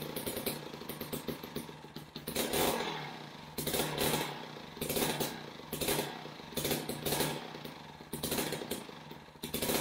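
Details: Older Jiffy Model 30 ice auger (about 8 in) unused for several years, last run on ethanol gasoline, now on premixed fuel after choke and prime; idle surges and sags about once a second and won't hold steady, before the idle screw adjustment.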